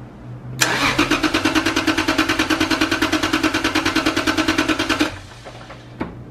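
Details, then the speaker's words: Lexus IS300 with imported engine (claimed 50k miles) and a misfire, hard cold idle; compression test: even starter cranking about three beats per second, no weak beats; dry readings about 150–160 psi, compression good. "so after the compression test we came to the conclusion of the motor is not her the dry readings were about 150 or 160 between all the cylinders"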